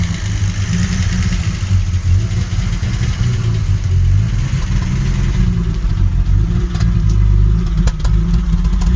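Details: 1984 Alpina B6 with the 2.8-liter M30 inline-six: heavy, uneven idle with a lumpy, stumbling beat instead of a smooth hum; the engine is misfiring and the cause is still unknown.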